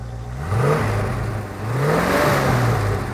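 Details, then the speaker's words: 1975 International Harvester Scout II stock V8: two clean rev blips rising and falling smoothly, no misses or knocks, no smoke even on cold start. Normal revving. "you know it doesn't uh it doesn't blow smoke or anything like that and when it's cold when you start it up it doesn't blow smoke either"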